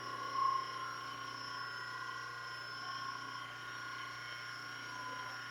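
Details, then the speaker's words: 120V motor newly wired to a forward/stop/reverse switch, running counterclockwise in reverse position: faint, steady low hum with a few quiet constant tones, no growl or buzzing, not getting hot. Normal running. "Feels good. Sounds good. Go ahead and turn it off."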